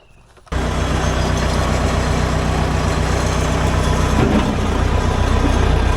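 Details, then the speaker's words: 1975 Case 580B backhoe after general servicing, wheels turned to bleed air from the system: the diesel settles into a steady, even low rumble with no whine, normal running. "and this thing sounds good you know it's not bitching like it was"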